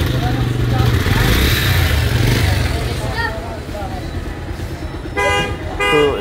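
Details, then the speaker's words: Bajaj Pulsar UG5 150 at 41,000 km after full master service, previous service 20-22 thousand km ago: even low exhaust thrum at idle with no knocks or ticks, two short horn toots; normal idle. "এই তো sound শুনলেন, আর এই যে দেখেন যেহেতু 20-22 হাজার আগে service করাইছিল, এখন 41,000 কত কিলো চলে, তো এখন বাইকটি ওকে হয়ে গেছে।"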